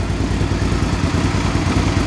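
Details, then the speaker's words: 2005 Suzuki V-Strom 650 after engine swap (original had rod knock), very low mileage replacement engine, Scorpion muffler fitted: V-twin revving cleanly with even, deep throbbing beat, no knocks or rattles; normal running. "Okay, it sounds better this way. That Scorpion pipe's pretty sweet."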